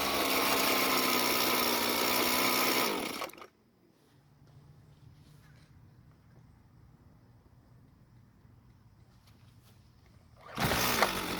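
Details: String trimmer that was hard to start hot, after a slight carburetor fuel adjustment: buzzes high and steady, shuts off, then restarts hot at once and picks up cleanly; runs healthy.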